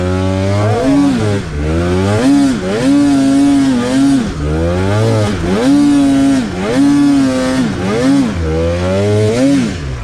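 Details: Polaris two-stroke snowmobile bogging; revs surge and sag in uneven waves about once a second, never holding steady, misfiring; bad injectors or injector harness suspected.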